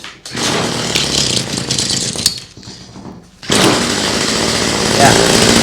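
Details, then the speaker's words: Cheap flea-market two-stroke hedge trimmer with a fuel leak, primer just pressed: a raspy high-pitched buzz cuts out briefly, then picks back up and holds steady revs. The engine runs fine; the problem is suspected to be only a fuel issue. "let's give it some revs and yeah just as I figured it's it seems to be running just fine for what I can"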